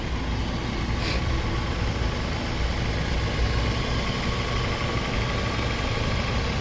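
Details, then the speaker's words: Toyota Corolla Altis 2007 1.6 G VVT-i petrol, at idle: quiet, even, steady four-cylinder idle with no misses, stumbles, knocks or smoke; engine runs very smoothly, healthy. "ครับเสียงเครื่องเงียบมากครับ"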